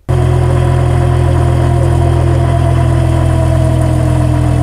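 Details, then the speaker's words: Car driving in a straight line at speed: steady droning hum with a thin constant whine above it; differential noise from damaged ring and pinion gear teeth. "también se pueden dañar los dientes del Piñón o la corona y escucharse un ruido Como"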